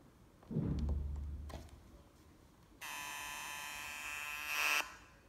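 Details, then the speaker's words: Inca 20.1-inch LCD monitor at power-on: a button thump, then a harsh high buzz for about two seconds before it shuts itself off and standby turns red; power supply board likely faulty with all capacitors swollen, needing replacement. "Bu arızalı monitörü ilk çalıştırdığım anda duydunuz. Zzz diye ses yapıp kendini kapattı arkadaşlar. Muhtemel besleme kartı arızalıydı"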